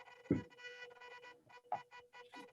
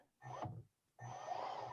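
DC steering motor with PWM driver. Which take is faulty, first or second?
first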